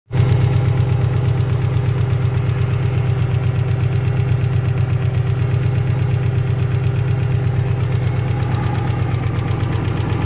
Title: стук на холодную